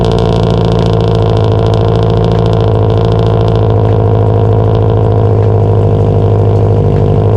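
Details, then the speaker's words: Subaru STI, first running after rebuild with fuel, coolant and oil leaks, exhaust not yet connected: sharp, regular knock over a loud idle that fades out; origin unknown, loudest via stethoscope at the clutch fork. "all right so while the knock did finally go away couldn't figure out what it was"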